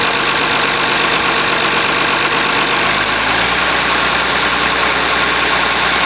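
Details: Oliver 1850 diesel tractor after a genuine cold start at about 45 degrees: steady, even idle with a constant hiss, no knocks or misses. Normal diesel idle.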